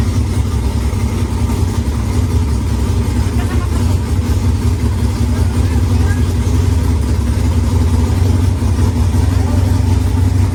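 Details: Pontiac Firebird on first startup with a newly installed engine and temporary makeshift fuel lines; loud, lumpy V8 with an uneven deep beat and sharp irregular pops: rough running with backfiring, not yet tuned.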